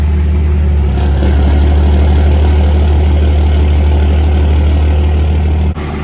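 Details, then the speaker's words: Second-gen truck swapped from 5.9 to 6.7 Cummins with bigger injectors, big turbo and manual valve body transmission, first test drive after transmission reinstall while warming up; even low diesel rumble stepping up steadily through gears, no knocks or grinding. "first test drive after we got the trans back in try to get it warm so we can reject trans fluid"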